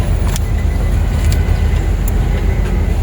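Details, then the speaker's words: Nissan Xterra after crank-no-spark repair (original ECM reinstalled and programmed, camshaft sensor replaced, connectors secured): starts, then steady even low rumble with no misses or knocks; normal running, one bank 1 camshaft sensor fault remains. "So now you hear the car starts. This is how it's it's supposed to be."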